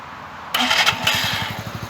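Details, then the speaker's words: Mash Fifty moped after derestriction (green wire unplugged and taped), started with the clutch pulled: a short starter whirr, then it catches first time into a quick, even putter. Normal start. "Il y en a beaucoup qui aiment entendre le bruit. Juste pour vous, on va la démarrer."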